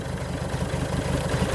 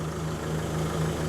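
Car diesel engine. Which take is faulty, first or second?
first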